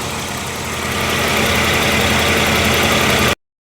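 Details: 1994 Jaguar XJ6 idling steadily and evenly with no misses, knocks or surging after a crank no-start was fixed: failed ignitor replaced by a modified-harness Vortec GM module with heat sink, ignition coil also bad; module heat to be checked.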